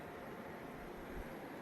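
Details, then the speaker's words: RV-installed 120 V mini-split air handler running on high fan speed: soft, steady airy hiss with no knocks, rattles or tones; quiet, normal operation. "It's running. It's running on high speed. Can you hear it?"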